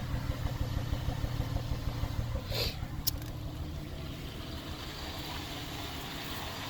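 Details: 2004 Cadillac SRX rough idle: uneven loping low thump about three beats a second, then quieter but still not smooth.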